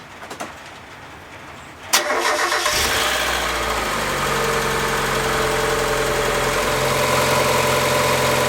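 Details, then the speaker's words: Mazda MX5 after auxiliary belt replacement (belt drives power steering pump and A/C compressor): starter whirr, quick catch, then smooth even idle with no belt squeal or chirp; sounds healthy, job done. "Well, that sounds a million times better, so I think that is job done."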